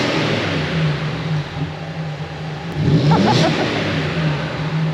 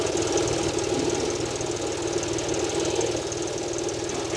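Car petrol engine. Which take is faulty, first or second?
second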